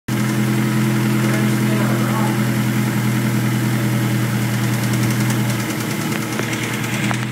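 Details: 2001 Honda S2000 petrol engine idling with a steady, deep rapping knock of about three to four raps a second: rod knock from a spun number 2 cylinder rod bearing.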